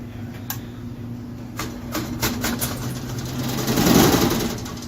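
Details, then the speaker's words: Furnace with bad blower motor, running: steady motor hum with irregular rattling clatter that swells loudly as the squirrel cage rattles all around; replacement motor pending. "But there's like a squirrel cage inside here. It's gonna be pretty dark, and it just like rattles all around. So when you turn it on, it just goes nuts."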